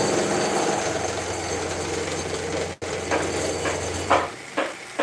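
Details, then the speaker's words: Grizzly G0704 mill with factory motor and electronics running a 2-inch shell cutter at 20 thou depth of cut, cranked to avoid stalling. A gritty continuous cutting roar over a steady motor drone stops abruptly, then clunks follow; the milling motor is under heavy load. "I'm taking 20 thou depth of cut, and as far as speed, I'm just cranking so I don't stall it out."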